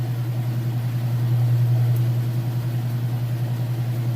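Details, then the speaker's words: Kenmore washer at full spin with a full load of test clothes: deep steady hum with a soft, even pulse about three times a second, no banging or grinding; smooth, fast spin, sounds great. "As you can see it here, it sounds great. Nice smooth operation."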